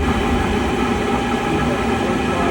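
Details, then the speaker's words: Sta-Rite Max E-Therm pool/spa heater at startup: loud roar with fluttering rumble and rattling, heater violently shaking and clicking before shutting off, not heating; caused by a bad bypass valve, replaced. "Okay, that means we have a bad bypass valve in here. Okay, when you hear that rattling in there, this little piece here is what's rattling."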